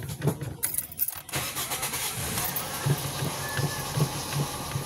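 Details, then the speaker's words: Toyota Vios petrol engine cranks, starts and settles into a steady, quiet idle with no knock or rattle after cleaning the oil strainer; oil warning and loud engine noise gone. "okay na may takatahimik na mga kaidol"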